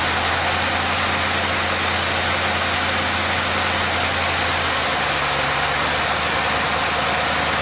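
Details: Chevelle V8 whose oil pressure warning light never comes on, idling at about 730 rpm with a mechanical gauge reading 44 psi (45 psi at 850 rpm): a smooth, even drone that settles slightly lower midway, with no knocks or ticks; normal idle.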